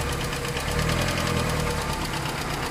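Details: Proton Wira with a 4G91 petrol engine at idle: a fast, even metallic knocking/tapping from the top end, caused by badly seized hydraulic lifters.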